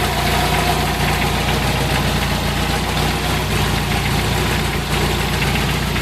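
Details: 1994 Jeep Wrangler 2.5 engine at low-rpm idle: rapid rattly knock over the rumble, steady throughout; knock at low revs, cause suspected but not confirmed.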